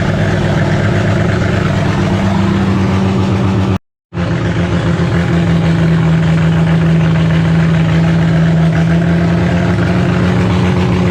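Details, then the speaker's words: Holden grey motor in a HAMB dragster with triple Stromberg carburetors, during carb synchronization: loping, uneven hunting idle; big cam overlap makes it hate idling below about 1600 rpm, pumping raw fuel out the exhaust at idle. "as you notice with this thing it's a real pig it doesn't really like idling um anything under sort of 1600 uh rpm um with the overlap on the cam it's just pumping raw fuel out the exhaust pretty much when it's sitting at idle"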